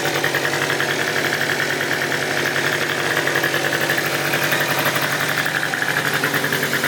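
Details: Piaggio Typhoon two-stroke scooter after carburetor upgrade and retune, first fire-up: steady, even idle with fine buzzy patter, no misses or surging, though idle was noted as extremely low.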